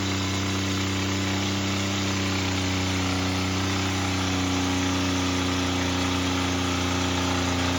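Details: Toyota pickup engine, damaged by water ingestion, deliberately run flat out until failure, lasting under two minutes: screaming with a hard, uneven clatter about three times a second over the drone as the connecting rods fail.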